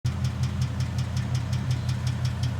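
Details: 2011 Mustang GT Coyote 5.0 V8 at idle: a sharp, regular knock about five times a second riding the engine beat, from a bad rod bearing.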